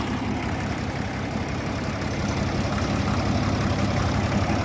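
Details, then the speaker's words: 1961 Case 930 Western diesel tractor (6.6L 401ci six-cylinder, 83hp), pull-started, with some expected blow-by: an even, low diesel rumble with a steady, unhurried beat and no odd knocks or misses. The injection pump sounds good, and it doesn't overheat. "seems like the injection pump sounds good working well it doesn't get hot has good fuel"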